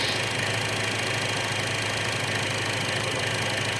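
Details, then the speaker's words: 2012 Chevy Cruze 1.4 liter idling in closed loop: steady, even idle with smooth hum, no stumble or hiss; fuel trims and sensor 1 O2 switching normally; vacuum leak in the valve cover's integrated PCV valve, fixed by a new valve cover. "You see that short-term fuel trim going up and down past stoichiometric. The O2 sensor on sensor 1 is going up and down stoichiometric. That's what you want to see."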